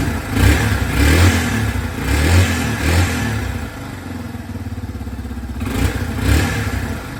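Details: 2003 Yamaha TT-R225 single-cylinder, after repair of a no-spark condition (stopped restarting after shutdown): clean thump picking up on each throttle blip and settling back; engine runs and revs normally.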